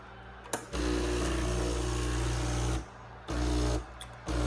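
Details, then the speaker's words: Breville Barista Express BES860XL espresso machine after repair of intermittent weak, varying pump noise: steady low pump drone in even bursts with no dropouts, much more pressure than before; normal pump operation. "sounds much better compared to before. And yeah, you can see before it wasn't going any higher than this, so now there is much more pressure, and then there is no intermediate sound that was dropping."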